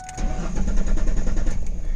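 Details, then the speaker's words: 1999–2004 New Edge Ford Mustang with theft light blinking after locking the doors: starter cranks steadily with an even churning rhythm but the engine never fires; anti-theft immobilizer active, crank no start. "you can do that all day and it's not going to start."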